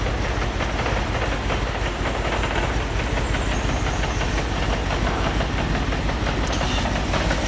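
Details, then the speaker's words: Audi R8 V8 at idle: loud, uneven idle with an irregular stumble and a lumpy beat, misfiring; the fault scan shows an open circuit in the bank B injector power supply. "Let's fire it up. See if it misfires. Well, it sounds rubbish."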